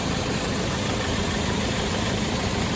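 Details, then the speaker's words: Land Rover Defender 110 2.2 TDCi, lifted and highly modified, engine warm, idling: even low diesel rumble with the aircon compressor kicking in and out, no funny noises; healthy idle. "But as you can see, it's not making any funny noises. You can hear the aircon compressor cutting in and out. It's doing exactly what it should."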